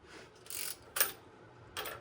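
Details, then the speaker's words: 383 build on a 1995 LT1 block with a Callies Magnum crank and 5.85-inch rods, step oil pan test-fitted without a gasket, crank turned slowly by hand: three scraping bumps where the rear counterweight hits the pan, which needs clearancing. "I put it on without a gasket line up the holes listen for interference there's interference already I know that that's the rear counter weight"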